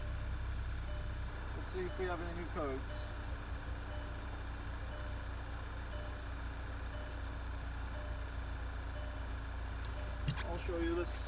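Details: 2012 VW GTI 2.0 turbo restarted after ignition coil and spark plug replacement for a flashing check engine light, zero codes afterward: steady, even idle with no stumble or missing beat; normal idle.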